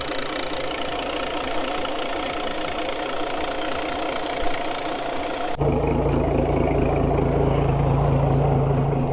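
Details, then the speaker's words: Outboard on flush attachment idling with uneven stutter and soft pops like an exhaust flap; misfire suspected from a head gasket issue, leak-down test to follow. "so what that sound is it's kind of like an exhaust flap and basically the engine in my opinion has a head gasket issue"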